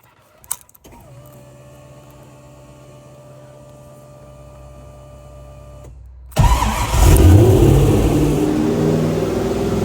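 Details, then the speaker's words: BMW E30 M3, idling, then revved hard after a vacuum cap fix: faint steady whine that swells with revs, still present but quieter; owner suspects the transmission after never checking its fluid; transmission noise. "Oh gosh. It's still making the noise, but it's quieter. I sure hope that's not my transmission."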